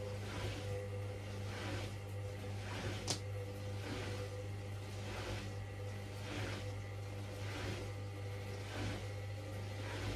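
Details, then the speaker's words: Hoover washing machine running spin only, stepped through 300 and 400 rpm to full speed: low steady hum with a soft, slow swish and no thumping, a normal balanced spin. "oh that's a nice balanced spin"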